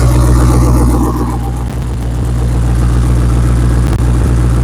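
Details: Exhaust leak freshly welded shut: deep, steady engine rumble with an even pulse and no puffing or ticking from the pipes; the repaired exhaust sounds sealed and healthy.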